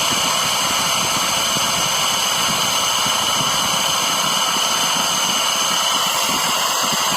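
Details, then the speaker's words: 2014 Vauxhall Movano 2.3 diesel (M9T 870), non-starter, about 90 psi compression in cylinders 2 and 3, engine off during leak-down test: steady loud hiss as air passes into the adjacent cylinder carrying some oil; owner suspects cracked block or blown head gasket. "this could be the engine block um having a crack or I might be lucky it might be just the head gasket gone"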